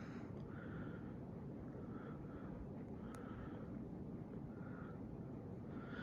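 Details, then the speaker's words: Hampton Bay Redington IV 52-inch white ceiling fan running: smooth, even airy whoosh with a soft pulse about once a second from the blades, no bearing noise or hum, quieter than other installed fans; normal running. "we had experiences that sound has no bearing issues at all it's not humming at all like it's actually quieter than the all three hundred fans that have installed"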